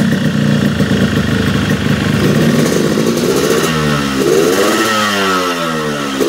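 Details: Yamaha RX King two-stroke with a new original exhaust, sluggish at low revs: muffled, blubbery bogging at the bottom end that clears only at higher rpm, possibly running rich.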